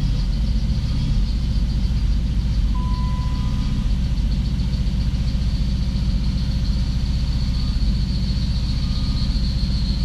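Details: 1993 Chrysler Grand Voyager running poorly: uneven idle with an irregular stumble every few beats over a low steady hum; misfires.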